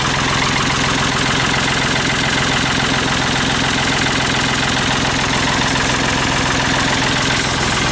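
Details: Diesel tractor, battery that had lost fluid and was topped up with water, boosted with a Black & Decker jump starter at about 32°F: catches quickly and settles into a steady, even clatter with no misfire; healthy cold start.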